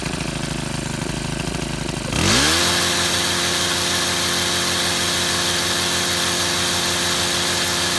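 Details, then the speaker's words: Shindaiwa HT2510-40 hedge trimmer, C4 low-emission four-stroke hybrid engine, after clutch and cam replacement, timing and valve clearance adjustment: catches and rises to a high steady buzzing scream, peaking around 8,800 rpm; normal running, repaired no-power complaint. "Okay, successful test run. Um, now I'm satisfied. Uh, the tachometer had this thing peeking out around 8,800 RPM, which is pretty good for a four- stroke hybrid."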